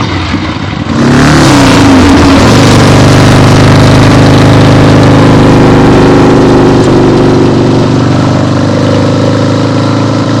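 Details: 1975 Harley-Davidson XLH Ironhead Sportster, freshly rebuilt and basically stock, on a test ride with the camera clipped to the rider: revs climb smoothly then hold a steady, even V-twin beat with clean throttle response, no knocks or rattles; healthy.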